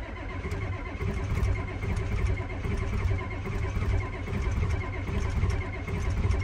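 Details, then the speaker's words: Ford F250 7.3 IDI diesel, cold start at about 30°F: steady slow cranking at about one beat a second that never catches. Crank, no start; glow plugs suspected not working, with a loose switch or wiring possible. "gold plugs aren't working because it should fire when the gold plugs around too"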